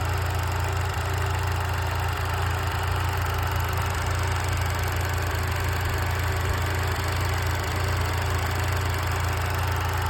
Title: Что за стук в моторе?